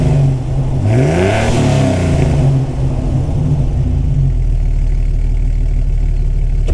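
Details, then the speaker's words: Jeep XJ (2000) with fully rebuilt 4.0L and Comp Cams Xtreme 4x4 cam (450 lift), run in with some miles; strong smooth rev settling to an even, slightly lumpy idle, no ticking or knocking; normal running. "I ordered that and I think it sounds good now that it's got some miles on it you can kind of hear it"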